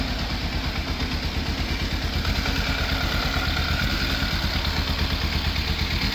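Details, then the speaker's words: Fire-damaged Yamaha FZ750 with the choke confirmed off. Lumpy idle of about three pulses a second with dropped firings: misfire at idle. Owner suspects the carbs, which are to be stripped and ultrasonically cleaned. "I got it to idle about as best as I can for the time being. Still sounds like it's missing a bit. So it's definitely still an issue. I'm pretty sure within those carbs."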